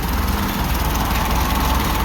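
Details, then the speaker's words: Ferguson TO-20 tractor, about 70 years old, idling after fixing valve tapping (oil now reaching valve rotators, pushrods turning): steady even low chug, no top-end ticking, valve train quiet; some belt noise; normal idle. "okay got her purring you can't really tell the Fiat belts making a bunch of noise here I'll be quiet it down no Ticky Ticky"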